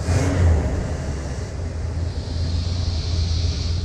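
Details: 1979 Ford Pathfinder Quadravan 4x4 V8 with new carburetor, after short driveway drive and restart; needs tune-up and has some vacuum leaks: steady even low rumble, no knocks or misses, good oil pressure; normal idle.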